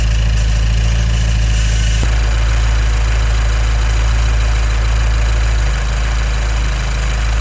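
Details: 2015 Nissan Juke Nismo RS, 112,000 miles, at idle: loud low rumble with a faint, steady scratchy static-like rattle on top; first seemed a vacuum leak but all is tight and it drives well; timing chain likely suspected.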